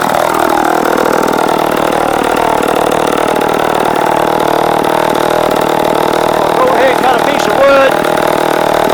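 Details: Late-1960s/early-1970s Sears 3.7 cu in chainsaw, 18-inch bar, standard chain, makeshift air filter: strong steady two-stroke buzz, no misfire or stumble while cutting wood; normal running.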